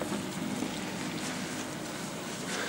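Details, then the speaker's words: Samsung DMT400 dishwasher on a cart, after a leaky back hose and the underneath hose were replaced, running with water and soap: soft, steady sloshing and spraying with a low pump hum, very quiet and even; normal wash cycle. "So now I've started it up. You can hear it running. This is where it brings all the water up, drains it, splashes into the dishwasher here."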